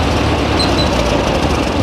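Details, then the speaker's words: Ford 8N 6V tractor revived after eight years in storage: steady, even low thrum with no skipping or stumbles; idles smoothly and sounds healthy, carburetor still needing tuning. "I got her running about as good as I'm going to get her uh she's able to idle up slowly and it sounds real healthy doesn't look like it's skipping or"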